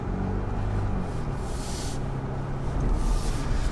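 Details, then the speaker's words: 2021 Ford Bronco First Edition with a new Bestop Fastback soft top replacing the squeaky, creaking factory hardtop, driving over small bumps: only low road rumble, with no clicks, pops or rattles from the roof. "No, it is not. I'm gonna tell you that already. Even these small bumps I've hit. Oh, the silence, the serenity."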